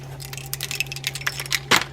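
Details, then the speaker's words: Abu fishing reel sent in with non-working drags needing new drag washers, shaken by hand: light metallic jingling and clinks as something loose bangs around inside, cause not yet known. "Well, this one sounds like something's banging around in there in addition to drags. Not quite sure what that is, but we'll find out."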